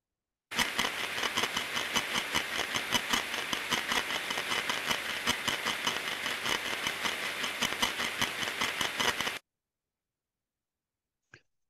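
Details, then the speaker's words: Gearbox planetary output stage heard via ultrasound sensor on its housing at about 25 kHz: coarse, gritty grinding with rough repeating impacts two or three per second, caused by the wrong lubricant used after reconditioning; oil found blackened. "Din păcate în urma procesului de recondiționare s a utilizat uleiul necorespunzător de aceea avem un sunet de scrâșnire de grun uit din cauza lubrifiantului greșit utilizat"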